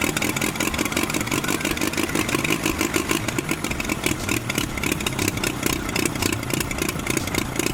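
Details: Oliver OC3 tractor's first start after fitting a new carburetor and linkages, with fire, compression and fuel set up and adjustment possibly needing to be pulled forward: the engine catches and settles into a steady, even chugging run with clean firing. Normal running.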